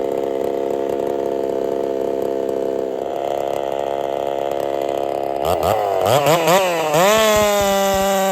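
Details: Holzfforma 372 chainsaw, big bore kit, wild porting, first test with ignition timing advanced: idles, then revs with uneven popping and hesitant climb, never a clean high scream; owner suspects timing too far advanced.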